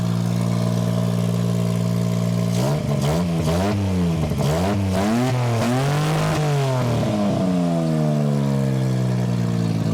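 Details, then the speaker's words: 1993 Geo Metro after fuel pump replacement and priming: starts and runs, steady note climbing and falling through several throttle blips; engine runs after start. "Let's start it up. Okay, 1 and 2. Go again. And there she blows."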